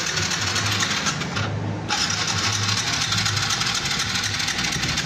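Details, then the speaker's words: Carbureted motorcycle with spark confirmed (wiring, CDI and coil OK) and a new spark plug fitted. The starter whirrs continuously with even pulses about four a second but never catches; it cranks and won't start. The cause is unconfirmed; the plug cap is suspected next. "So ayaw umandar ng motor ni boss mga katropa, pero may kuryente bago na spark plug niya."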